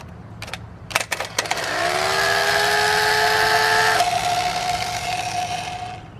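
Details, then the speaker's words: Replacement used starter for a 1971 Plymouth Valiant 225 slant six, bench-tested by grounding its body and touching the power lead: a few contact clicks, then a steady whine winding down freely; normal starter spin, better than the failed one. "oh yeah that's that sounds [Music] great that's definitely better than what we have"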